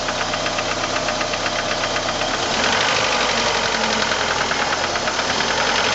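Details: 1989 PGT with suspected rod knock; fast, regular metallic knock about four a second over a running engine, cause unknown, possibly bottom end.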